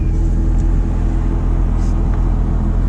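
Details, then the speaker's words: 2015 Ford Mustang EcoBoost with turbo kit and catback exhaust, tips and resonators just welded back on after open tips backfired at low rpm: exhaust now quiet, low even rumble with no rasp or drone; normal exhaust idle. "So they weld the exhaust back on. You guys can hear it. You can't even hear the exhaust right now. That's the difference that those resonators make."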